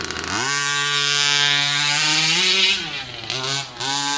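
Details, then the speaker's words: Customer's original motor in a King Motor Baja 5B with Fury 23 pipe, before the 36cc swap, somewhat warmed: buzzes to a high scream but sags and stumbles pulling away instead of snapping to speed; weak pull-away, carburetor suspected, not ring or piston. "But still, you can even hear that pull away. With this pipe Fury 23, it should be instant, should pull away lacquer."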